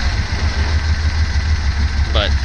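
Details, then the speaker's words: 1979 Datsun 280ZX just after fitting bigger injectors and adjusting timing, untuned: low lumpy idle with uneven pulse and stumbles; running super rich, fuel problem or bad gas suspected. "All right. So, magically, we got it running again. And I'm pretty sure I have a fuel [Music] problem."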